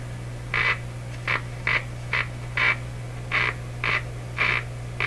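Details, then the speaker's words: 1941 Electrohome Serenader 9A62-S two-band tube radio, first power-up at full volume and full voltage: steady hum under short squawks about twice a second, an oscillation rather than reception; owner suspects a dirty or rubbing tuning capacitor. "Oh what's happening there that doesn't sound like something being received sounds like an oscillation going"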